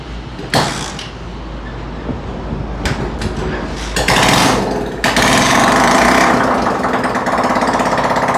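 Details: Honda CD70 four-stroke single, started after a piston ring change to check timing, silencer not yet fitted, carburetor being set: loud, raw crackling exhaust, uneven at first, then a harsh steady beat. Runs fine, just unmuffled.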